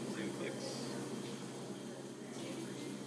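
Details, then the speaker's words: La Marzocco Linea espresso machine after a steam boiler over-fill repair, covers off: the fill pump gives a steady low hum with a light buzzing edge, running normally. "we'll wait to see if it starts filling I can hear the pump going so it sounds like that and we'll just keep an eye on the Cyclops make sure that eventually the water gets in there"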